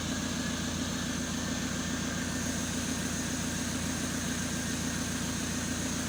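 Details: Rebuilt Renault 1.9 diesel idling on first run after rebuild, no coolant, exhaust and catalytic converter not yet fitted: steady, even, quiet clatter with no misses or knocks; normal idle.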